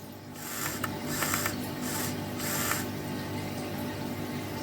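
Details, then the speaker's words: Used white Sony PSP 1000, bought as spares or repairs, charging and switched on: irregular clunks and short whirring bursts over quiet hum from the UMD disc drive; very clunky UMD noise, cause unclear. "It is making some, well, it was making some very clunky UMD noises. I don't know if you can hear that."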